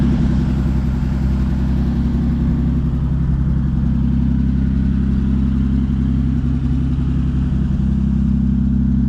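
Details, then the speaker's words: 1950 Dodge Meadowbrook engine with 70 years of non-detergent-oil sludge, idling with choke closed before an oil drain: even low pulse, no knocks, hitting on all cylinders; oil pressure 40, charging. Normal warm idle. "But with the choke closed, it sounds like it's actually running pretty good. I think it's hitting on all the cylinders."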